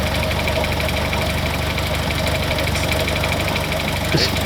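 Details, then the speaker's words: Austin Healey Sprite cold idle after being tickled into life: even, steady, smooth idle with a soft regular beat and no knocks or misses; normal cold idle. "Man, that is proper smooth. You have to tickle it, don't you? Tickle it into life."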